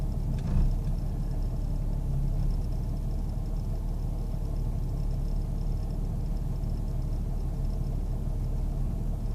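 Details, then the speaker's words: 1998 Jeep Grand Cherokee Laredo: a low, uneven idle that hunts and stumbles on its own as if about to stall. Cause not found. "It's just doing this all on its own. It's like it wants to stall out. I don't know."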